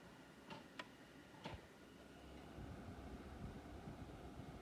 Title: Xbox Series X strange noise